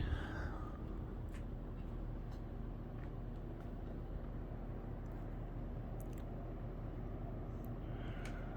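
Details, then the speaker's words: 1990 Halsey-made Wholesale Merchandisers Seville 52" hugger ceiling fan, 12° blade pitch, on high speed, probably around 200 RPM: smooth constant low drone, no wobble, ticking or bearing noise; whole-house fan in background. Normal running. "I think this fan does have a bit of home to it which is going to happen on this installation here but other than that it's pretty quiet no bearing noise"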